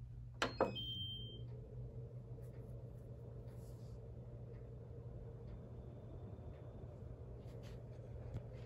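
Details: Germ Guardian AC5900WCA air purifier blower (86.5 W) started on low: after a click and beep, a quiet, steady low hum settles in with no rattle or whine; blower running normally.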